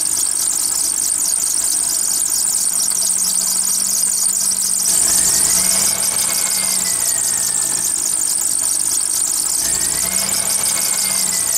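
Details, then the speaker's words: Car running with a serpentine belt that got wet, before cornstarch is applied to the pulleys: a shrill squeal swooping up and down in pitch over a quiet engine. The wet belt is slipping and squealing. "Bien amigos como vieron ese ruido que hace la banda es porque se mojó le entro agua entonces les voy a dar un tip de como quitarle ese ruido"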